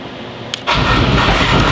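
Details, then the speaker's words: Wrecked salvage Porsche Cayman, first start attempt in neutral with the clutch in: the engine catches with a harsh, gritty grinding over the start-up roar. The owners suspect the cracked subframe. "oo what was that sound like the engine like thats horrible cuz our subframe is cracked maybe that's why"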